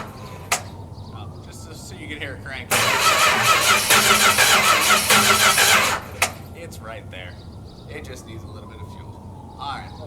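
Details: Car: the starter cranks evenly for about three seconds at a steady whirr but the engine never catches; it's not getting fuel.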